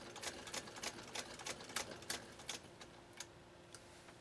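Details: 1922 Singer 99K hand-crank sewing machine sewing a single layer of 3–4 oz full-grain leather at about 10–12 stitches per inch. Quick, even needle ticks of about four a second, slowing toward the end, with no knocking; it sews smoothly.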